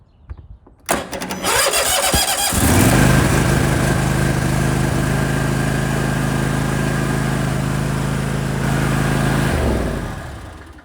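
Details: Zero-turn mower after replacing the bad starter solenoid, choke on, out of winter storage: brief crank, then the engine catches quickly and settles into a steady, even idle; starting normally.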